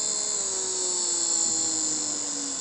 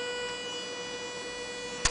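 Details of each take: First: 9 V max DC motor on Arduino Mega 2560 5 V supply via transistor, speed set by potentiometer, no diode; high thin whine steady while lower tone slowly drops as motor eases off, spinning freely, normal running. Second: 9 V max DC motor on Arduino Mega 2560, stopped at low potentiometer setting; steady high-pitched whine with no spinning sound, stalled but still powered, singing from drive pulses.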